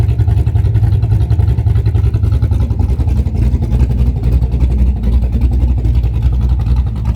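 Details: Camaro big-cam V8 idling on a newly installed Summit Max EFI-500 with IAC idle control, previously carbureted and idling around 900-970 rpm: deep, choppy, uneven lumpy pulses with slightly wandering speed. Normal healthy cammed idle.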